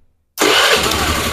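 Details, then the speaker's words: Carbureted Honda Beat with weak starter, fitted with a new, charged battery: silence, then the starter catches and the engine fires at once into a steady, even run; ECU/CDI still fine, weakness came from the old battery. Normal starting. "normal lagi ya menandakan dayanya initi terisi penuh dan EE Ecu atau CDI Masih normal ya enggak lemah"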